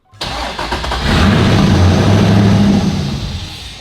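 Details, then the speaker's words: Flood-damaged 2015 Corvette Z06 with 7.0 L LS7, cold start after 7 years, extra wiring removed to get the fuel pump working: cranks, catches and revs briefly, then dies within seconds; fuel issues suspected. "Oh. Houston, we have ignition. So it started up just a little bit. It did go down again, maybe some fuel issues again, but gotta keep trying."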